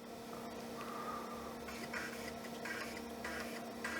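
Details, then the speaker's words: Panasonic floppy drive, serviced and cleaned, in Olivetti M300-30/P PC at power-on: faint scattered head-stepping chirps over low hum, then nothing; drive seeks but does not boot, possibly broken, suspected not confirmed. "It's seeking. But I don't think it's doing much besides that. So maybe this one is broken."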